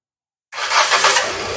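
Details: Second-generation Proton Saga VVT with a crank/no-start complaint and a new battery: the engine catches at once from silence and settles into a steady run when the starter is fed power directly, showing the engine itself starts fine.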